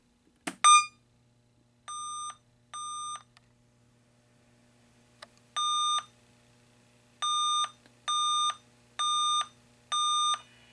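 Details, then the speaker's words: 1980 Stern Electronics Berzerk arcade game, VSU sound PCB test after correcting wiring: sharp click, two short clear beeps, pause, then steady run of even beeps; sound board working normally. "if it if the sound is working we'll hear we'll hear beeps as that flashes so let's give it a shot"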